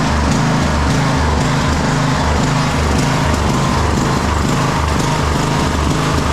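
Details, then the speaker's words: Craftsman YTS 3000 (2009) lawn tractor with 21hp Briggs and Stratton engine, test drive: surges and stumbles in uneven pulses, never steady, with notable blowby; owner suspects water or contaminated fuel in tank. "And then it started to run like like garbage there at the end. I mean, who knows what's in this tank."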